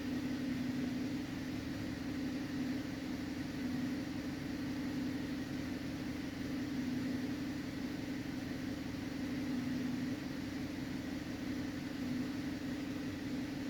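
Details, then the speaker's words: 2011 Cadillac CTS in for a misfire and oil pressure sensor code P0523, after clearing codes: engine coming down off high idle to about 900 rpm, with a steady, even low hum and no stumbles or misses; normal idle. "it's coming down off of its high idle right now it's at about 900 RPM"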